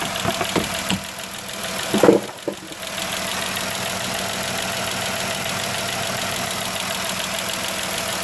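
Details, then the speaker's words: 3.6 Pentastar V6 in a van: fast, even ticking over idle from bank one (rear head), caused by a broken roller rocker arm with a damaged camshaft; recorded before repair, fixed by replacing both. "Now, I have the broken rocker arm and the camshaft right here."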